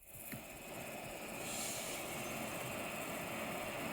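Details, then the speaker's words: MacBook Pro with external monitor forcing dedicated GPU, fans above 2000 rpm, over 70 degrees with no apps open: steady airy whoosh with faint high tone, no let-up; loud cooling fan noise. "another thing you could do is to use this app which is called the turbo boss switcher which allows you to disable the turbo boss which is a intel feature and so the laptop run colder and this is an example of how loud it"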